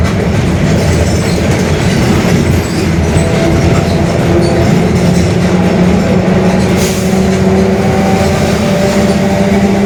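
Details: Mercedes-Benz OF-1721 Bluetec 5 diesel urban bus, Mascarello GranVia Midi body, built 2021, onboard: steady low growl under the diesel drone, climbing in pitch as the bus gathers speed, a growling (roncando) differential.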